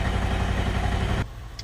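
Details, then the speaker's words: GM 5.3L LS-swapped Sub-100 idling in gear after work: lumpy, shaking idle with a steady skipping beat and a still terrible miss, though it pulls cleaner free-revving; cylinder 4 suspected dead, since switching it off changes nothing. "it's still got a little bit of a mess and a shake to it but actually seems to pull quite a bit cleaner just free wrapping go ahead and put it in gear still got a mess pretty terrible miss actually"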